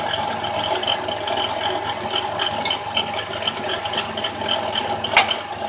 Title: 06 GRAND CARAVAN SXT 3.8l bad alternator bearing sound